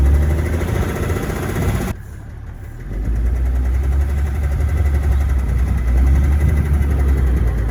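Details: BMW 7 E65 M57N diesel at idle: deep rough idle with dull knock buried in low rumble; cause found to be worn rod bearing shell on cylinder 5 (injectors were also suspected).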